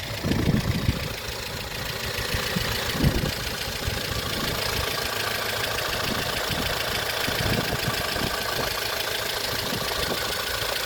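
Steady idle with a busy, fast metallic ticking from the top end, louder than a normal valve clatter.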